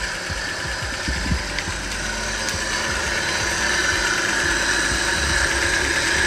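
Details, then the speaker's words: Proton Saga BLM petrol engine idling with a rough, gritty rattle and thin high whine from a damaged fan belt tensioner bearing, belt also old; both are replaced. "Oke, jadi di bagian tensioner fan belt ini bising sekali teman-teman. Jadi makanya kita mau tukar yang baru."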